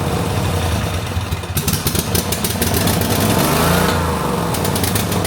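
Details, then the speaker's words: 2005 Snapper ZTR mower, 1,500 hours, after a carburetor replacement set slightly rich, engine speeds up and revs to the moon with no steady speed, worse on choke, black smoke; owner suspects parts fitted reversed; surging. "Okay, I got it running a little rich. I'll show you what happens. Watch this. It's going slow, speeds up. Still revs to the moon."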